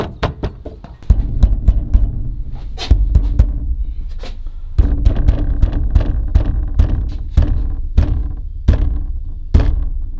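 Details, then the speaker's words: Closed Maxxfan Deluxe 7000K remote-controlled roof vent fan, newly installed on a vehicle: every light tap or road bump gives hollow plastic thunks and a short buzzing rattle, worst at the front; loose vibrating lid, cause not found. "every little bump in the road it's vibrates just and a lot they have no clue what's causing this vibration"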